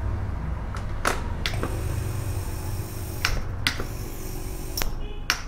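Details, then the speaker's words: Compressor after the start relay's winding was reduced by 20 turns in total: low steady hum broken by sharp paired clicks a couple of seconds apart; relay still mismatched, compressor won't start properly, so it's reduced by 25 turns in total next. "ये अभी भी compressor के साथ ठीक से नहीं चल रही।"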